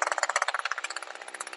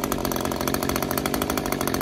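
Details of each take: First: Two-stroke Echo SRM string trimmer with a HiPA replacement carburetor, high-speed screw being tuned: a high, buzzy full-throttle run with an occasional deeper pitch and a soft, regular burble, so the top-end mixture is set right. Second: Older Echo string trimmer two-stroke with new HiPA replacement carburetor at full throttle: note jumps up and holds high, then sags as high-speed screw is turned in too far, lean; backing off restores rpm.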